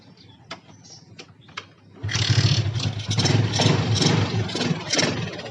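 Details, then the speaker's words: Yamaha Jupiter MX that would not start or died soon after, after clearing a clogged carburetor jet passage: light clicks, engine catches at about two seconds and settles to a steady even idle; running normally. "Ini motor udah normal ya teman-teman, silahkan dengarkan langsamnya."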